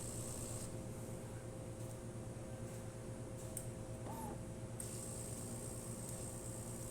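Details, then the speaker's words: DeLonghi Magnifica S after repair of the burnt-out grinder motor, spouts cleaned: quiet, steady low pump hum with no grinding or rattles as water goes through the mechanical valve and brewing starts normally. "And so now it's going into the mechanical valve, and it's going to start brewing"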